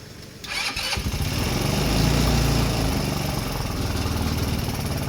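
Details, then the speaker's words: Rebuilt 150cc GY6 engine in RZR170-clone UTV, cold start, nothing fully hooked up: fires quickly, throbbing unsettled beat, idling high, smoking stopped; idle still needs adjusting. "Running idle and high, but I gotta play with all that stuff. Nothing's really hooked up."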